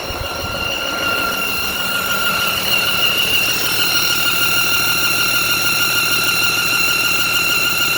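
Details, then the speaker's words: Freightliner M2 106 with a Cummins diesel at idle and revs. A loud, steady, piercing belt-like squeal that is not the belt comes from a blown exhaust manifold gasket; revving puffed smoke into the engine compartment. "So it sounds just like a belt. Belt's not the issue."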